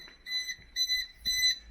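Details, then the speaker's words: Rebuilt RB26 engine in an S15 drift car, engine not running, switched off after oil pressure showed about 3.4 bar on the gauge. The car beeps its low oil pressure warning in high-pitched bursts about twice a second. "So now I can actually turn this off. And the car beeps at me again."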